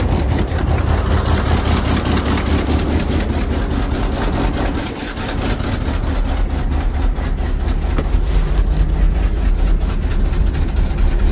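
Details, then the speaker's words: 1980 Ford LN700, 370 big block V8 four-barrel, after sitting a few years: rumbling idle, uneven early then running on its own on all eight cylinders; known bad exhaust leak. Normal idle. "well it's definitely running under its own power sounds like it's hitting on all eight"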